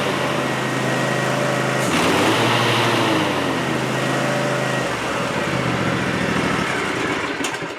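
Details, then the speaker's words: 7-year-old Ariens Ikon zero-turn mower, blades had been shutting off, PTO clutch or battery suspected: engine idles evenly, then takes extra load and a deeper tone as the blades engage; runs and cuts normally. "I'm going to start it up and we're going to see if the blades will come on or not, and then we'll go from there just to see."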